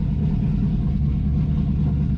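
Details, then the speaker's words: Project Z28 V8 cold start after idle problems, untouched throttle, right at 1,000 rpm; deep, even rumble with no misses or stumbles; normal cold idle. "It's right at 1,000. Which, for a cold engine, that's good, man. I'm happy with that."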